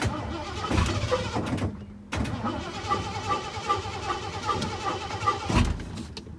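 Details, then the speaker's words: Truck that went from running perfectly to not starting, cranked with some gas: starter churns regularly in short tries, engine never catches; crank no start, owner suspects ignition switch not completing the start circuit. "The ignition switch, like it's, so you know, there's like there's run and then start. Well, it's not, the circuit's not complete when you're trying to start it, so it's not starting."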